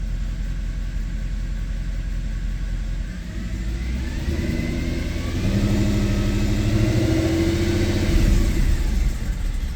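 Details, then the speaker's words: 2010 Mercedes E63 AMG, M156 6.2 L V8, after swapping parts over (some oil found in the injector harness): deep V8 revving with an uneven, lumpy beat instead of a smooth climb; still misfiring on the entire first bank, cause not found. "I just don't understand it. I don't know, guys. Swapped everything over. Why is it still misfiring on the entire first bank?"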